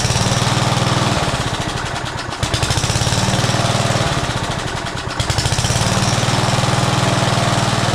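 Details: Old Rover lawn mower revived after about 10 years in storage, primer bulb refitted: small single-cylinder engine catches and settles into a quick, fairly steady putter with brief dips; starts and runs normally.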